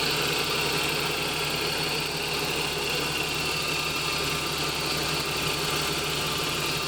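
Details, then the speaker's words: 1988 Toyota pickup with a 22RE engine, after fixing an intermittent click-no-start by rewiring the starter relay with a new 30 A fused wire and cleaning the relay contacts. It starts right up into a steady, even, clean idle with no clicks. Normal idle. "well as you guys saw it started right up there"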